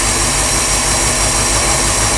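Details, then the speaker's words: 1988 Crestliner Chevy 305 V8 with OMC King Cobra drive, fuel and water hooked up, firing for the first time in years, still cold; loud steady roar, no misses or knocks. "my God boy fire oh my God holy crap it's fired no way"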